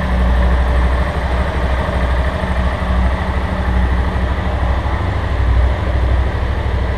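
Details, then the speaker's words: Motorcycle under warranty, idling: light, uneven "tec-tec" tapping over a low, throbbing idle. The workshop chief says it is the cam chain bearing; the engine is to be opened. Not yet confirmed. "Nós vamos ligar pra sentir o barulho dela. Esse barulhinho que tá dando no motor. Tec-tec."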